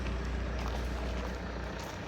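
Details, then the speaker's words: Saab 9-5 (NG) A20DTH 2.0 diesel after fixing a no-boost issue: low, steady rumble at idle, way quieter than before when the VNT vanes were stuck open; vanes now act as an exhaust silencer; quiet exhaust at idle. "yeah that's way quieter because earlier since the VNT WS was open it was super loud because it kind of the vnts also make the turbo kind of a silencer to the exhaust so now it's nothing out here it's completely silent"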